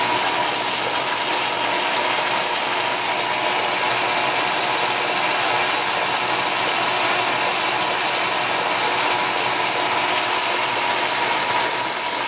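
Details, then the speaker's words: Atlas 10-inch lathe with retrofitted quick change gearbox, feeding toward headstock: loud metallic gear chatter and high whine, quieter in reverse; owner suspects worn die-cast compound gear or die-cast tumbler gears; gear whine and rattle. "That's pretty noisy. It's a little more quiet when you run it in the reverse direction."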